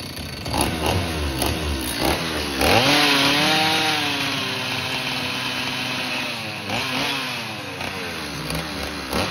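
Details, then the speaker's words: Old STIHL chainsaw of unknown condition, air filter off: small two-stroke screams and surges under held full throttle then sags and wavers; runs only wide open, will not idle, cause not confirmed. "well it won't idle if i try to crank it with the throttle all the way open it'll go well let me rephrase that it'll fire up but it will not sit at idle"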